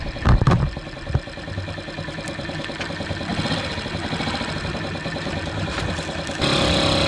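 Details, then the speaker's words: 2003 Honda Ruckus scooter after fitting a new carb jet. The single catches after some clatter, then settles into an even idle that lifts slightly at the end. Normal start and idle. "well that definitely made a difference a jet was pretty much useless"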